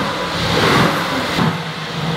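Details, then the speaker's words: Salvage-wrecked Mercedes-AMG GT with hidden damage, oil on max, first start: engine catches and settles into a strong even rumble with a small rev blip, no knocking or rattles. "Oh my god, it starts! Yeah! Sounds alright! Sounds alright."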